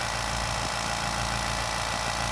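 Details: California Air Tools 2010A "ultra quiet" air compressor powered from an RV, filling its tank; steady even motor hum with constant air hiss, no knocks or rattles; normal healthy running.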